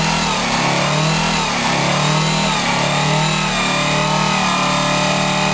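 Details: 1987 Bluebird Wanderlodge PT40 rear-engine pusher with 8V92TA Detroit two-stroke diesel, first start in about 5 months (slow start, prime lost), camera outside: a loud, steady, deep roar held high with an even drone and no knocks or misses; healthy revving.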